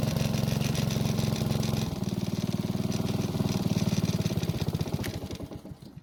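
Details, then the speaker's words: Honda walk-behind mower after draining old gas, addressing fouled spark plug, old air filter reused for test; even steady firing beat holding smoothly at speed, fading cleanly at shutdown; running properly, smoke and poor running fixed. "it seems like the fouled spark plug, old gas, and the dirty air filter were the main reasons for it smoking and running poorly."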